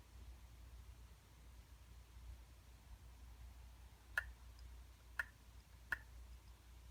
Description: MacBook Pro Mid-2012 making clicking noise.